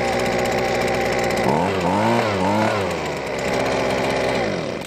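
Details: Husqvarna leaf blower two-stroke, after refilling with fresh two-cycle mix (old gas lacked oil) and reinstalling primer bulb: buzzes evenly, picks up cleanly on quick throttle blips, drops back smoothly, shuts off; running properly.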